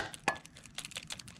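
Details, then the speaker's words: 2005 Kawasaki ZX10R tip-over (bank angle) sensor removed and shaken: light irregular clicking as the pendulum rattles freely, so it is not stuck. The fuel pump doesn't prime at key-on, so the kickstand sensor is suspected next. "it rattling around that's uh I'm guessing that makes it okay if you can't hear it rattle around then you got problems it's stuck"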